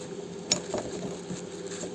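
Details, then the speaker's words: Geely CK ball joint: dry gritty crunching and ratchety clicks as the loose stud is turned by hand; worn ball joint, some grease present, stud turns too easily. "Но вот я вот пальцем обвожу, хрустит. Это даже вам должно быть слышно."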